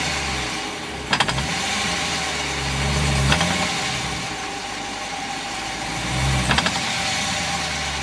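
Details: A 2014 Dodge Challenger R/T with 2,400 miles: the engine rises and falls, and each load change brings a sharp double clunk from the rear, three times here. This is differential backlash clunk, which the dealer says is normal; the cause is not confirmed.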